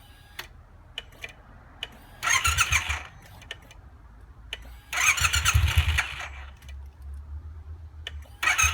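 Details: Triumph T120 motorcycle starting problem while working the clutch lever and starter switch: scattered clicks, short cranking bursts that cut out without firing; owner suspects a clutch or starter switch sensor, not confirmed.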